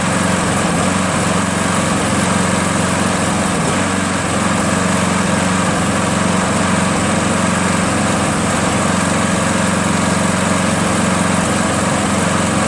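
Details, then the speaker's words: Craftsman 7HP green self-propelled lawn mower, long hard to start despite lapped valves, checked keyway and carb cleanings; after about an ounce of Seafoam in the fuel, steady even putter with no stumbling or surging; runs smoothly. "as you can see it no longer hesitates nationally runs pretty smooth for about a half an hour and a few but starts when I shut it off"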